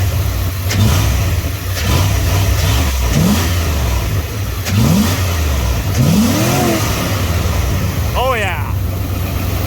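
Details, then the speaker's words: Loud, deep engine, still pretty cold, revved once to the limiter and dropping back cleanly, on first test after fitting a double-barrel air intake with NACA duct and throttle-linked butterflies; very loud, strong and healthy. Normal revving. "that sounds awesome took her to limit her there once but she's still pretty cold"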